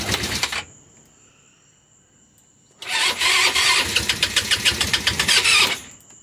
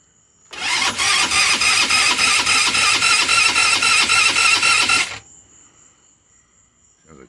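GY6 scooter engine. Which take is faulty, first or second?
second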